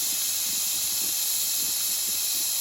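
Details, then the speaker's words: Nuwave 13-quart electric pressure canner after canning bacon ends, unplugged while still venting: steady, even high hiss with nothing else behind it; normal steam release at cycle end. "I might should have waited till the steam went out, but it says when you're finished pressuring to unplug, so I did."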